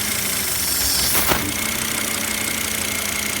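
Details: 2006 Volvo XC90 AWD 2.5 petrol idling low and unevenly with a steady airy hiss, and a service engine warning on the dash. Owner suspects a vacuum leak from a hose, not confirmed.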